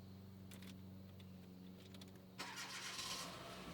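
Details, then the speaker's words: 2009 Hyundai Accent with intermittent long-crank hard start, after reassembling the starter and related repairs: brief even cranking, then the engine catches promptly at about two and a half seconds and settles; a healthy, quick start. "Woo! Oh my God. No, not that it started, but it started so fast."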